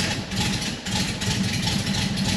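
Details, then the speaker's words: Porsche 912 flat-four, dead cold start after botched prior shop work: idle with light quick tick riding on exhaust pulses; exhaust leak before the muffler, suspected improperly fitted muffler gasket. "If you listen really closely and you have that that train 912 ear, you can hear there's exhaust coming out the tailpipe tip, but there's also an exhaust leak coming out of the exhaust before the muffler. And it's almost like a little tick."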